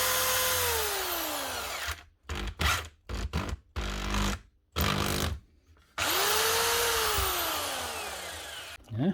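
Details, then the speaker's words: Power tool sent in for repair whose only fault was its 13 amp plug, run after the plug fix: the motor whines up smoothly and winds down evenly between short bursts, spinning freely with no grinding; shocks and gears are good and it runs normally. "nothing else seems to be wrong with that shocks good gears are good and it's running plug must have been all it was"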